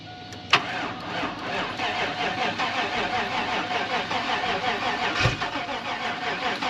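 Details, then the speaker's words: 2004 Chevrolet 2500 donor truck 6.0 LS, sitting, a gallon or two of fresh gas added, battery possibly weak; sharp catch then steady cranking with faint uneven firing that never catches; cranks, no start. "go ahead and uh crank it I don't know if it's got enough juice in it to crank or"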